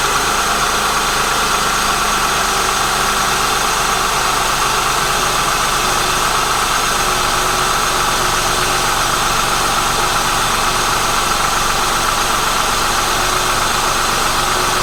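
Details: Honda/Acura J-series V6 (3.0/3.2/3.5/3.7) started up after a valve adjustment: steady, even idle hum with a faint valvetrain tick, no misses or stumbles before shutdown; engine runs cleanly.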